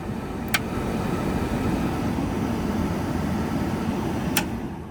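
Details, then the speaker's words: Peterbilt 359 cab blower motor and fan after replacement to cure squealing: steady, even air rush with no squeal, just faint clicks; better airflow, blower running normally. "makes no squeaking noises and way better air movement now. So, we're good."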